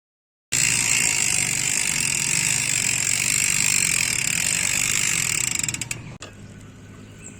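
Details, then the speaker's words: United Clovis 6.0 hardtail MTB with Nautilus Rakac freehub, which uses no pawls so it hums rather than the usual bee-like buzz: loud, even high buzzing while coasting until the wheel stops; normal freehub buzz. "yang menggunakan sistem race teknologi berbeda dengan freehub kebanyakan yang menggunakan power nautilus reaksi ini tidak menggunakan Paul makanya bunyinya berdengung tidak seperti bunyi tawon kebanyakan di"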